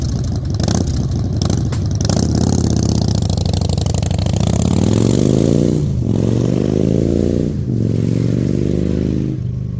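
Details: Salvaged 2000 Harley-Davidson Fat Boy V-twin, after flood restoration from 5 days submerged in Hurricane Ian floodwater: deep even note climbing smoothly through rev blips and settling back, no misses or knocks; finally running and fixed, healthy.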